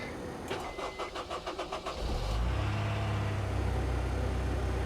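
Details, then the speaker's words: 2008 Honda S2000 at a Copart auction, push-button start in neutral: about two seconds of cranking, then it fires cleanly into a smooth, even idle. A healthy start. "well she sounds good she does not sound like she's missing perhaps a catalytic converter or a muffler"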